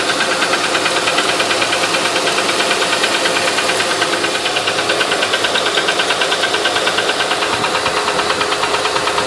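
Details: 2008 Honda Ridgeline at idle: a steady, fast top-end tick, about three per second, rides crisply over a smooth idle; the ticking noise's source is not pinned down.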